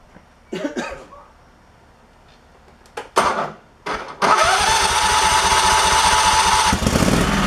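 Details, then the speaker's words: Craftsman Pro mower with new carburetor at factory settings, fitted for running rough and surging; coughs and fires in bursts then runs with fast uneven throb; rough running, linkage issue suspected, adjustment needed. "well i think we need some adjustments something with the linkage maybe"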